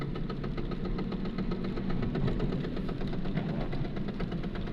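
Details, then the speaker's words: VAZ 2110 driving under throttle: steady, rapid knocking over engine and drivetrain drone that rises with throttle, nearly fades off throttle, silent at idle or standstill; someone suggested a broken planetary gear tooth, unconfirmed. "Вот газ сбрасываешь, она почти стихает. Вот так вот, когда газ даешь, она чуть больше становится. А на холостом ходу или когда стоит, вообще нет никакого звука."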